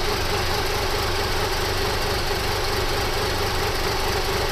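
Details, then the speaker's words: 1997 Toyota 4Runner after reassembly: very low, lumpy idle, spitting and puttering with an uneven thumping beat. Owner first suspected a vacuum leak; the cause is incorrect camshaft timing from the reassembly. "It is idling really low and spitting and puttering around, but it's running, it's idling."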